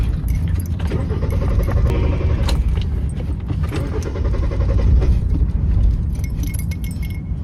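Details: Car cranks steadily and fast, about four beats a second, on and on without the engine ever catching: cranks but won't start.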